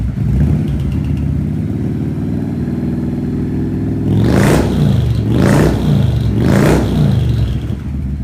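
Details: Harley-Davidson V-twin idling then revved, high hissy chirp/squeak from the mufflers; same noise occurred with the old exhaust, cause unknown.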